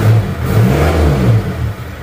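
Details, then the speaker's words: Isuzu D-Max diesel after nozzle repair, standard idle about 750 rpm; low steady even beat, no stumbling or shake, unlike previous day's shaking; normal diesel idle. "Oke ini kita dengarkan suaranya seperti ini ini sudah rata normal seperti mesin pada umumnya ya tidak tidak goyang-goyang"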